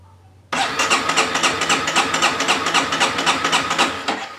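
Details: Honda CBR250 brought in pushed, not running, electric starter cranking (no kick starter): slow, fairly even cranking about four strokes a second with a steady compression thump; compression seems present but it won't fire.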